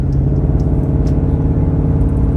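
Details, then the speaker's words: Mercedes idling after a misfire was fixed by replacing the faulty ignition coils and spark plugs, after the car sat for 5 months; a steady, even low rumble with no skips, firing on all cylinders. "So I changed the ignition coils, tuned it up again, got the spark plugs. And man, now this what we got, man."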